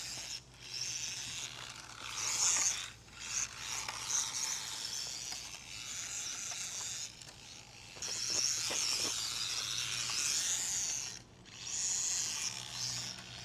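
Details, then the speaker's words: Hobby Plus 1/24 Speck brushless short course RC truck after off-road driving: a high, scratchy whirring with ratcheting bursts that rises and falls with throttle; the owner suspects a plastic drivetrain gear was damaged by debris, not confirmed. "No, still making that noise. Might have damaged one of the plastic gears by being out here off-road, because it still has a weird drivetrain noise."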